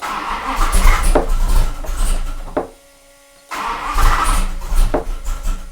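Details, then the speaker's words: Max Wedge Mopar V8 on a dyno, camshaft not yet broken in: quick rhythmic cranking bursts, pause, more cranking, never catches; fuel pressure ruled out, ignition blamed; risks wiping out the cam. "Nick knows the engine should have started by now and he knows that if he doesn't get it started quickly he risks wiping out the cam"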